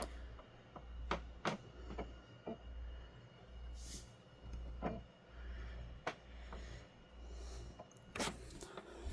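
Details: Xbox Series X with Xbox One disc (Halo) inserted: repeating whir swelling and fading about every second with sharp clicks between, drive keeps seeking without reading; no error or dirty-disc message shown.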